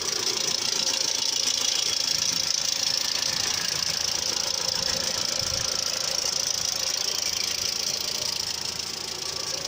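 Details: Mitsubishi Outlander III, engine running, bonnet about to be opened: a couple of minutes after start, for several minutes, a light regular flicking rub about four per second, as if something rotating catches a half-peeled paper; source unknown.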